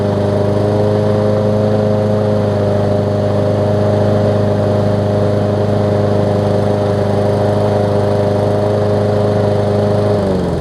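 Steady, even hum at constant speed for ten seconds, no hunting, misses or knocks, then it winds down; healthy mower engine.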